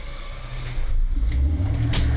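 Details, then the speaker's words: Standby generator with propane-fuelled 5.0-litre engine, started from the transfer switch test: brief crank, then catches and settles into a steady low even run with no knocks or misses, transfer to emergency power; normal generator start and run. "y'all can hear it now so I cranked up transfers boom you saw lights flicker as because the transfer of the emergency power"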